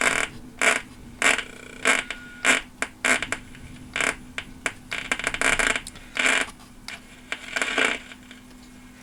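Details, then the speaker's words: 1976 Lloyds Monteverdi stereo, AM band only (FM fine): irregular sharp crackling static bursts over faint hum as dial turns; owner suspects tuning capacitor. "this am business with this that's lightning but it sounds like lightning when you turn it i don't know what causes that it must be that tuning capacitor i'm guessing"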